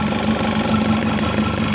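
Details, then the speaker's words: Yamaha FizR two-stroke after repairing intermittent pulser negative wire that caused sudden stalling, ignition switch refitted: steady, even idle with low buzzing hum, no misses or stumbles; running normally. "Oke, sekarang kita coba kontak ya. Oke, sudah menyala."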